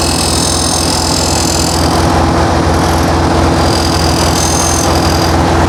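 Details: New 1600cc flat-four in a 1968 VW Karmann Ghia, first run during cam break-in after timing adjustment: steady fast idle with even, busy beat, no misses or knocks, faint squeal on top; normal high idle.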